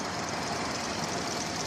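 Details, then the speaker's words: 2000 Toyota Avalon, sputtering, weak power, stalling despite new mass airflow sensor, unburnt fuel smell: hissy, uneven low idle rumble, no clear knock; rough idle, owner guesses fuel pressure, timing or weak spark, unconfirmed. "staying running but it's running as if the timing or something's wrong I just don't know"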